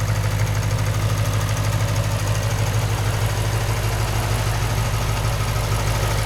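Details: 2008 Lexus IS F V8 with 50k miles idling steadily with a fast, even light ticking on top; normal, common noise for this engine, nothing wrong.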